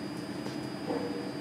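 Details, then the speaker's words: Filament winding machine, just after power is applied to the motor drives: steady high whistle at one pitch over soft room hum from the variable-speed drives; normal drive whine. "quand arrêts en route on l'entend on entend un sifflement le sifflement des variateurs de vitesse"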